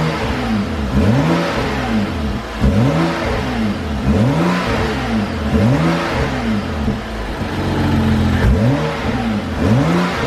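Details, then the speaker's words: BMW F30 335i (N55 turbo petrol) with stock intake, before cone intake install: clean rising and falling rev blips, smooth and even with only a faint intake hiss; healthy. "all right guys so you guys kind of heard it it's kind of like a little bit of like a sh like sound i don't know how to explain it it's nothing major"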